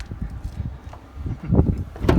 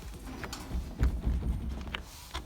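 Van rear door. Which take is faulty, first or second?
second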